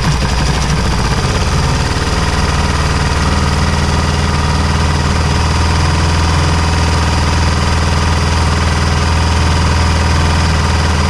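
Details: Honda XR400 single, cold start at -5°C: a fast, uneven rattle of about four knocks a second over the idle that nearly disappears when warm; suspected slack timing chain, since the stock automatic tensioner doesn't hold tension despite looking fine.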